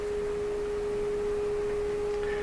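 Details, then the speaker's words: Electrohome Acoustech E00-411 35 W two-way tuned-port speaker with new replacement tweeter, signal-generator tone rising in frequency, listener's head in front: clean steady pure tone, no buzz or distortion; normal reproduction. "My nose is here, and I can hear the sound move as I raise the frequency up, just towards the end there."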